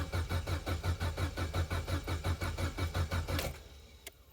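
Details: Vauxhall/Opel Corsa B, neglected 4-5 years, being revived while testing a fuse and relay circuit: starter cranks steadily about three turns a second for three seconds but does not fire; crank, no start.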